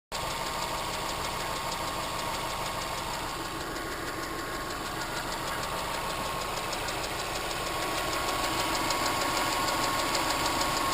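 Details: 2006 Subaru Impreza WRX EJ255 boxer, driver side: steady light ticking about three times a second at idle, same cold or warm, from a bent intake valve not closing properly; fixed by replacing both valves, belts and bearing.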